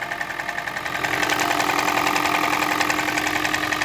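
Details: Toyota Prius 20, 1NZ-FXE engine, which burns oil: light, regular knocking about 3.5 per second at steady idle. No misfire, strong oil smell; cause not pinned down.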